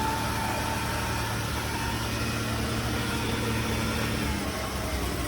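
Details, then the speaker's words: 2009 Chevrolet Impala V6 at city auction, started right up on a jump box; smooth even idle, steady low hum, no knocks, misses or hunting; sounds pretty good, normal idle. "$85 on the key fee. Started right up with a jump. Sounds pretty good."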